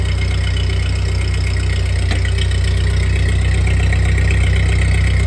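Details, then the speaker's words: 1948 Ford 8N tractor engine after a full rebuild, idling in neutral; new carburetor still needs adjustment: deep, steady thumping idle at about 200 beats a minute, no knocks or misses. Normal idle. "So there you have it. Tractor runs, and it sounds pretty good after a full rebuild."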